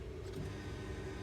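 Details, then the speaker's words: Buick 3.9 L V6 at key-on: faint, steady hum from the rear as the fuel pump primes normally, with just over 11.5 volts on its grey power wire. "as you can say you can he the fuel pump Prime and we have 11 just over 11 1/2 volts on that wire so we do have power back here"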